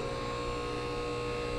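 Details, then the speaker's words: Max Jax portable 2-post lift in a low-ceiling garage, newly installed, dry run after bleeding air out: steady, even electric motor hum and constant pump whine with no hissing or surging; hydraulic pump running normally. "dry run success it's been bled"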